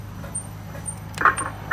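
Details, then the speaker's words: Lexus on a vibration test stand: sharp metallic knocks about twice a second over a low hum from the worn ball joint of the rear lower aluminium control arm, clearly audible under load; front end found fine. "Вот явный слух шаровой опоры заднего нижнего поперечнего рычага. Алюминиевый рычаг, шаровая опора. Явносток."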